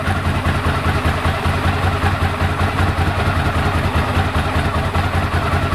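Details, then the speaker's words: 1998 Ducati ST2, 10,596 miles, new open clutch with extra fibre plate, original exhaust about 72–74 dB at tick over: lumpy V-twin idle with light dry rattle riding on the beat, heard when clutch pulled in. Normal idle with dry clutch rattle. "Ticks over beautifully now. You can hear the clutch when I pull in the clutch."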